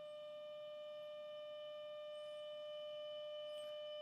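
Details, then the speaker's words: Braun T1000CD receiver, AM IF alignment with a 455 kHz carrier, 30% modulated 600 Hz tone, fed at about 40 mV: steady clean 600 Hz tone from the speaker; IF stage passes the signal properly. "all set and I'm going to turn on the signal generator at 455 kilohertz with a 30% modulated 600 Hertz tone and it would help if I switched on the unit and I can hear it"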